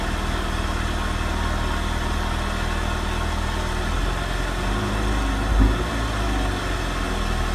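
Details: Renault Megane RS Cup 225 after fitting a replacement fuel pump assembly, idling low on fuel: a steady, even, smooth idle with a faint constant hum from the new pump, which is audible where the old one was not. No leaks.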